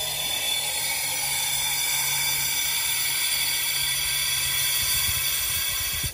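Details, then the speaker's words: Diesel truck turbo intake pressurized with boost leak detector at turbo inlet, engine off, pressure dropping; steady high airy hiss, sound changes when wiggled, soap shows spray from factory pinch-style hose connector. Boost leak. "we fixed the red hose when we put the soap here you can see it spraying off see it's spraying out of them and as I wiggle this it changes the sound"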